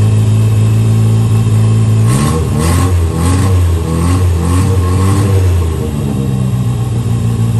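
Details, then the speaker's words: 1963 Austin-Healey Sprite 1098 after swapping the Weber for SU carbs, new plugs, ignition timing turned back to cure popping: picks up cleanly through quick blips, drops to steady even idle. Normal running; SU leaks fuel, gasket kit rebuild probably needed. "in fact I went ahead and even adjusted the idle and it was so simple and it just idled right down right now it's running really really good"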